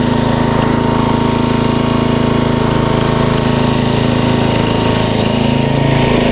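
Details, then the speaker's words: 1994 Troy-Bilt 34044 33-inch mulching walk-behind mower with Briggs & Stratton engine: a sharp, regular knock about three times a second over the running engine because the twin blades are out of time, likely after a blade change, and clip each other. "all right those blades obviously are not correct they hit each other on the way around so that's probably why they put it to the curb"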